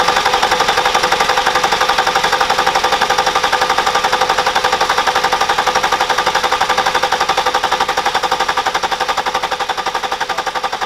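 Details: BMW E61 530xd with M57 diesel after roughly 400k km: steady, even diesel clatter at a regular beat with no rattle or chain slap on top; healthy normal idle, though this engine type is known for timing chain rattle on cold start.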